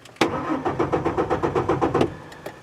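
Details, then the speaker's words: 2003 Ford F-150 4.2L V6, cold weather, intermittent crank-no-start. Starter cranks steadily for about two seconds without catching. The fuel pump has power but whines abnormally, giving no fuel pressure. A new pump fixed it. "I know that the pump is getting power because I can hear it doing some kind of whine back there but it's not the right sound I can my ears are telling me that it's not working right and if of course we have no fuel pressure as a result and we're not starting"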